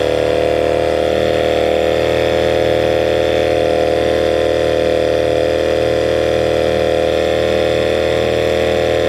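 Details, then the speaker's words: 1979 Johnson 6hp outboard with low compression, running in the pond after sounding good in a test barrel: small two-stroke buzzing at fast idle with a slightly uneven beat; owner suspects it is running on one cylinder. "yeah what it sounded like to me was it was running on one cylinder sounded good in the uh tank of course in the barrel"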